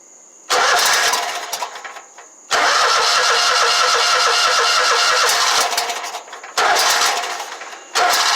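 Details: Exmark Lazer Z 72-inch commercial mower, no start: catches on gas squirted into carburetor throat and runs briefly in rough bursts before dying; spark and compression good, fuel solenoid not getting power.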